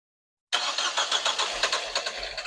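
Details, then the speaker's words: Rebuilt 2014 Nissan Juke engine, start attempt after priming: starter spins in steady pulses, about four or five a second, but it never fires; cranks, no start, scan shows P0087 fuel rail pressure too low. "Right, so upon scanning the vehicle, we had a PO P0087, which is the fuel rail. Fuel No pressure, pressure, too low low. pressure."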